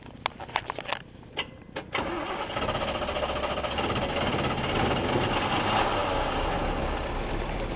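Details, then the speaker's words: 1980/81 Chevy C20, 350 (5.7) V8 with Quadrajet carb: cranks and fires, then a cold, lumpy, uneven idle with slight stumbles. Rough running; owner says it needs new spark plugs. "happy a little cold right now so heard that sper before need new spark plugs"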